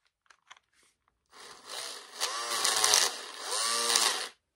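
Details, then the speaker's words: Cordless drill that stopped working after smelling burnt, reassembled after carving melted plastic: spins about three seconds with rough gritty rasp and wavering pitch, loose pieces moving inside and breaking; internal parts loose and breaking. "still sounds like crap because of that please moving around on the inside"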